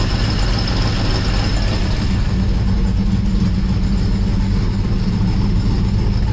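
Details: 1955 Chevrolet Bel Air four-door with Gen III LS V8 (4.8/5.3/6.0) running a Comp Stage 1 Thumpr hydraulic roller cam, changed intake and headers, not yet tuned: deep, loping, uneven idle rumble holding steady; normal healthy cammed idle.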